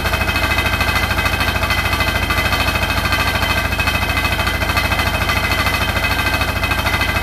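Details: Hotpoint NSWR843C washing machine on final 1200rpm spin: a fast, even clattering of about three knocks a second over the drum's roar; the cause of the loud rattle is unknown.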